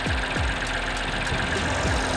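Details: Car at an auction inspection, idling rough under the hood; uneven three-cylinder shake with loose rattly knocks every half second or so; a failed engine mount lets that whole side of the engine shake; no check engine light.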